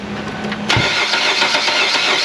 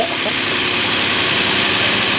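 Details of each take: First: Engine started after reassembly of repair work: long, steady cranking for several seconds before it catches and settles, because the fuel rail was still empty and it had not been started before. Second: Car just repaired, first start with an empty fuel rail after replacing a failed solenoid (cam phaser first suspected): steady, even idle with a constant hiss, no knocks, misses or hunting; running smoothly.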